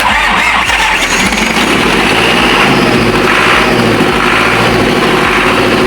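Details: Freshly overhauled Ford 6610 tractor diesel (four new liners and pistons after a smoking problem, hydraulic O-ring kit), bled and started: catches and settles into a steady, even idle clatter with no misses or knocks. Running healthy.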